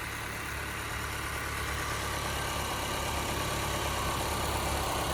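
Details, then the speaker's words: Honda after repair, previously skipping and running bad; one cylinder wall has slight scoring: steady even idle, smooth low hum, no misses or stumbles; normal idle, needs driving to clean out cylinders. "That's how she's supposed to run. They just need to be driven now to blow out clean out those cylinders."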